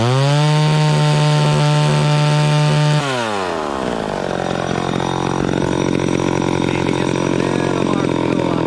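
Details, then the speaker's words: Vintage chainsaw cutting wood after high-speed mixture richened slightly: crisp steady high revs off the wood, pitch drops cleanly into the cut and holds evenly; running properly under load. "there that seems right to me it was it was cutting okay the first time but then i rich ended up just a little more on the high end and it seemed to be a little happier there"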